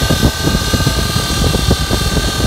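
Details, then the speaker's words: 2004 Dodge Ram 1500, engine running: steady high-pitched whine and hum heard coming from the alternator, with vibration; alternator doesn't spin freely with belt off, bad bearing. "Okay, so I got some bad noise, bad bearings going on. We're gonna check it out. I believe it's the alternator. I can hear it coming from the alternator."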